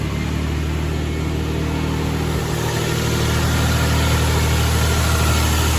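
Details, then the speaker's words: Nissan Frontier/Pathfinder/Xterra (2005-2021) idling after serpentine belt tensioner replacement: steady, even idle with a smooth low hum and no belt squeal or chirp; engine and belt drive sound healthy. "I want to make sure that everything's running properly, the serpentine belt, everything's all good."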